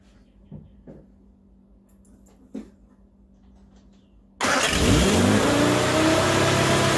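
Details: Morris Minor 1000 van with newly installed Judson supercharger, first start after fixing a leaking antique fuel filter: engine fires into a busy rattly roar with a rising whine as revs climb, a cacophony of never-heard noises, expected to be noisy. Unusual mechanical noises.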